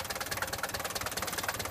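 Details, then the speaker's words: 1976 Mercedes-Benz 240D W115 diesel, first start after sitting three or four years: even regular diesel clatter, steady idle with no misses; healthy engine. "listen to that sweetheart run you can tell by the sound this is a healthy 240D wow listen to this that sounds really good"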